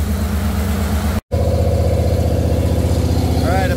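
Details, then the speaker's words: Jeep CJ5 freshly built engine with Holley EFI, first start, RPM raised to begin break-in at about 1850 rpm after warming to 193°F: steady even drone, no knocks or misses; healthy engine, oil pressure about 45 psi. "all right I'm gonna bring up the RPMs and start the break in I'll be back"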